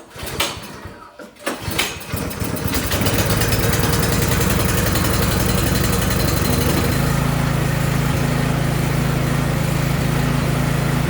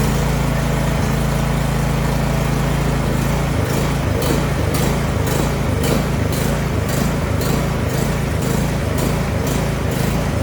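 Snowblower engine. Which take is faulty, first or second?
second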